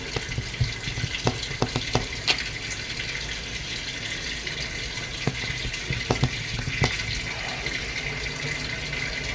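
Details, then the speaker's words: Whirlpool top-load automatic washing machine after controller board replacement for a no-power fault (old board damaged in two years, possibly by kitchen smoke); water level 1 set for wash test. Steady hiss of water filling the tub, light clicks, no motor yet: normal water fill. "So tine-testing ko muna siya then kak lagyan ko lang siya ng tubig para wash. So naka number one lang yung water level niya."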